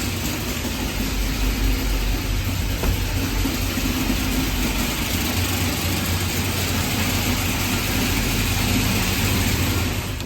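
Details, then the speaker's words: 376ci LS V8 on the engine dyno, 9.5 compression, before the final pull: steady, even low rumble with no knocks, misses or ticks; normal idle, consistent oil pressure, no leaks. "everything is looking good the old pressure is consistent perfect we're preparing to do our last pull as you can see absolutely no leaks everything looks good"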